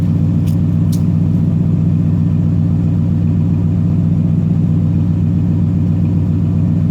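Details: 1990 Chevrolet K1500 5.7L 350 V8 automatic after repairing exhaust leak, deep even rumble with steady firing beat, no puffing or ticking; normal running.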